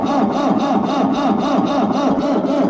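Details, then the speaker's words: B275 diesel after rebuild, lost fuel prime from air leak at the petcock, injector line nuts loosened, cold start enrichment pulled: steady cranking about four compressions a second, turning over without catching while bleeding until fuel reaches the lines. "Now we just basically crank it till we see fuel come out of those."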